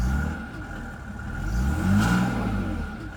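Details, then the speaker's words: Mercedes-Benz turbo diesel, sat for a while, check engine light on. Light turbo whistle rises with revs over steady diesel clatter and fades as revs drop; healthy turbo spool. "you can hear the turbo spool that's always good"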